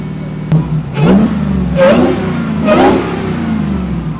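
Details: 800+ HP Jeep Wrangler after a repair, running with the heater on full blast to purge air from the heater core, cooling system not yet pressurized: three clean rev blips rising and falling smoothly, no misfire, knock or rattle. Normal revving.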